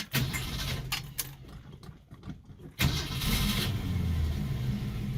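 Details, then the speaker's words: 1967 Mustang, sat unrun for about 20 years, revived a year earlier and fitted with a new oil pump, cold start after pumping the gas: keys rattle, engine cranks and catches into an uneven, lumpy idle, running rough when first started; cause not confirmed. "sounds good she runs a little rough when you first s"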